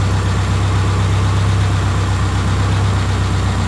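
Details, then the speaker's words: 1999 Subaru Forester flat-four, engine near 200K miles and car over 310,000 miles, idling just after an oil change: a steady low rumble with an even beat and no knocks or ticks; normal idle. "Runs pretty good. The engine's got almost 200K on it."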